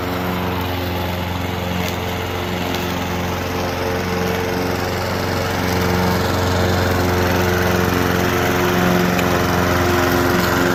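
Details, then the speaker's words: Honda HR214 garage-sale push mower, old dark oil not yet changed, idling once smoke stopped; steady, even single-cylinder idle at constant pitch with no misses or knocks, runs really well. "It actually runs really well, and you know, $10, what can go wrong?"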